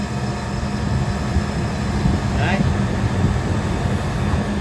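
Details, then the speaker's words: Walk-in cooler condensing unit outdoors, liquid line shut, compressor forced to run to pump down into vacuum before solenoid replacement: steady low compressor drone with fan hum, even and unbroken. Running normally. "All right, so now when I force this guy to run, this is gonna pull down,"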